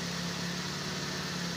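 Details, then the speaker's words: Vehicle that wouldn't start or idle and died after a day parked, with low battery and no aircon cooling, after repair: steady even idle, constant low hum, no misses or knocks; charging 14.5 V, normal idle. "So so far andar na siya."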